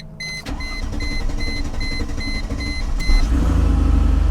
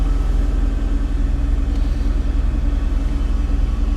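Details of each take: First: Salvage-auction vehicle with fire damage under the hood, listed as run and drive: chime rings while the starter churns several seconds before it catches and settles into a low idle; long crank before starting. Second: whether or not though she's actually running really well it's very quiet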